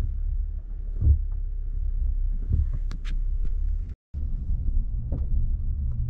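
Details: 2022 Nissan Frontier driving: dull irregular thuds every second or so from the passenger side front wheel well, caused by the washer fluid reservoir above the front passenger wheel, even when full.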